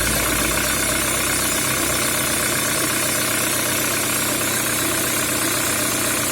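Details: Peugeot 307 with EW10J4 (RFN) engine at idle: a fairly regular knock, roughly four per second, taps through the engine hum from inside the engine.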